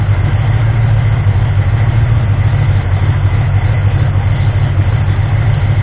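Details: Ford 351M V8 being diagnosed for misfire and rough idle, after the distributor was moved slightly. Deep idle with a slightly uneven, loping beat and no knocks. Still a touch rough; the owner suspects ignition timing, and the harmonic balancer timing ring had spun.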